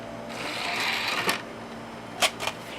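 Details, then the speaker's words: Optical drive in a revived Pentium D PC spinning up a disc during startup: soft whir building, then crisp seek clicks; drive sounds healthy, normal spin-up. "Drive sounds very reassuring right so let's exit exit save changes and we'll see what the system does"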